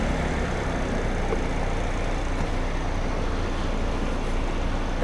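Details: 2009 Chevy HHR 2.2L Ecotec flex-fuel, after fixing incorrect alcohol-content reading (P0172, P0300, long crank): steady, even low idle rumble, no misses, knocks or hunting; still slightly rich, oil change suggested; normal idle.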